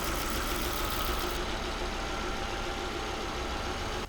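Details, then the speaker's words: Volvo V70 with a cylinder misfire, after replacing the faulty ignition coil with a new one: even, steady idle with no stumbles or skips, dramatically smoother than before; normal idle. "wow that difference is huge let's go it actually runs so smooth now"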